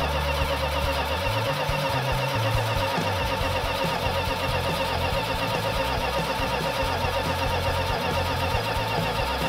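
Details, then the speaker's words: Freshly rebuilt 340 V8 with sand poured down the carburetor, running a fast rough idle, unable to idle under 2000 rpm from an intake vacuum leak, with a metallic tappet-like clatter from the top end; compression previously restored, rockers to be inspected. "so it didn't want to idle under 2000 RPM and we've got a tap it that's making noise or some kind of metallic noise that sounds like a tap it"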